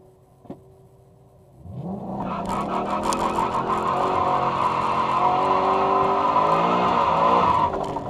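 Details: 2011 Mustang, Getrag MT82 manual, Tulsa Raceway: engine revs steadily with a whining rising gear tone and scraping undertone; needs extreme force to get into gear; owner suspects a bent input shaft or excessive play.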